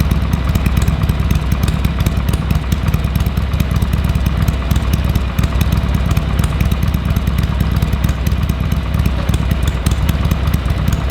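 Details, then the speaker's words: Harley-Davidson Sportster 883 barn find that sat over 20 years, fresh oil and filter, temporary carburetor fitted: lumpy, loping idle holding steady pace, deep exhaust thump, no knocks or rattles; normal idle. "Everything sounds good."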